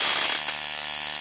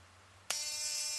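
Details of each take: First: 555-timer ignition coil driver/tester on a 7 Ah sealed lead-acid battery, MOSFET-switched, 0.1 µF (104) capacitor: a harsh, steady crackling buzz for several seconds as the spark jumps the gap, producing ozone; coil and driver firing properly. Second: 555-based ignition coil driver with a 103 capacitor: sharp steady high buzz with no snapping sparks; the coil is driven but the electrode gap is too wide until moved closer.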